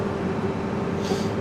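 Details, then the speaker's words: Combine harvester engine running during corn harvest under load, heard in the cab after the turbo was removed and the problem fixed; now a steady, even low drone with no rattle or hiss, much quieter than before. Normal running. "So, this thing is a lot quieter, a lot nicer to operate. It was good to operate before. It was just a little loud, but now nice and quiet in the cab."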